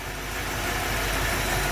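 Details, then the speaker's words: 1974 Ford Bronco freshly rebuilt engine with mild flat-tappet Summit cam after smooth break-in, warm at 180°F thermostat, idling about 750–800 rpm; smooth even rumble, no ticking, knocking or misfires. Carb may still need tuning. "Very smooth. Idle's about 750, 800. Still a flat Tappet cam. Break-in went smooth and perfect."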